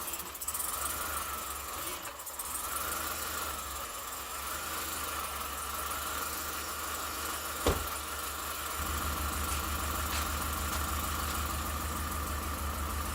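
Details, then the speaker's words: 2008 Chevrolet Suburban first start of new engine after 5-6 tries: settles into steady idle, even low drone with faint whine, no obvious knock or misfire; normal idle. "Success so far, anyway. What do you think? Sound good? It took another 5 or 6 tries, but we got her started."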